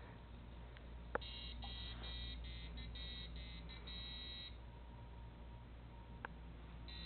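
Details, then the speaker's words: Arduino robot after its activation sequence: rapid chain of short, shrill buzzer beeps for a few seconds with red flashing lights, then quiet. This is the warning alarm when the soft potentiometer is not touched or the wrong spot is touched. "red flashes, and you hear that sound for a full 10 seconds. Yes, obnoxious. That's the point."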